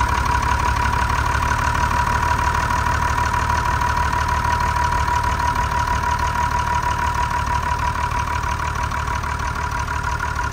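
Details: TK Bedford crane truck, Perkins 6354 six-cylinder diesel not run for 20+ years, after bleeding air from the fuel system: even clatter about three beats a second, steady throughout; smooth, healthy idle.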